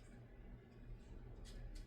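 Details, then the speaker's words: 42-inch 1990 Encon Corinthian ceiling fan on high speed: quiet steady low motor hum under even running, present since long ago but quieter than before; mild motor hum. "yeah the SL humming on the motor um is nothing new if anything this fan has actually got a hell of a lot quieter since the last time I filmmed it it's still got that slight motor hel to"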